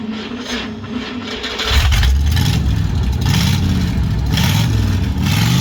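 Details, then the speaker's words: 1955 Dodge with a used 70-year-old automatic transmission bought on eBay, ATF leak near bell housing: engine note climbs and drops in clean steps as it upshifts smoothly under light throttle; shifts sound healthy. "You can hear it shifting."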